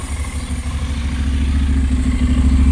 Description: Nach den ersten 300 km lief der Motor extrem unruhig besonders im Kaltstart.